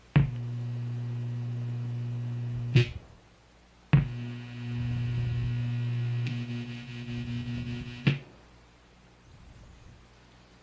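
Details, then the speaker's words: ADA MP2 guitar preamp, no guitar plugged in and effects off: loud steady low mains hum cutting in and out as presets change, from a failed resistor R913. "this is the ADA MP2, and it has developed a loud humming noise."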